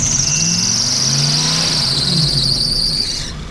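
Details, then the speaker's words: Vehicle revved slowly in park, which hesitates under load on the road: loud high squeal rising and drifting in pitch with revs over the engine; slipping drive belt. "squeaky belt it at Popop but as you can see in park if i slowly depress the pedal it will go nicely"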